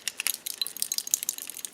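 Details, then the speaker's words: Electric starter box on an older Ariens snow blower with 8 HP Tecumseh engine; motor spins fine, fault suspected in electrical box: light tinny rattle of a small loose piece tumbling inside the housing as it is shaken. "there's something loose inside here."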